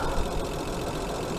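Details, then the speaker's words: Hyundai Sonata 2.7 V6 after cambelt and water pump change: smooth steady idle with only light even hydraulic tappet tick; no knocks, squeals or belt noise, former water pump/belt squeal gone. "because it's quiet as a mouse now, apart from the tippity with the hydraulics tappets, but or cam followers, whatever we want to call them, depends what country you're in. But yeah, sweet as a nut,"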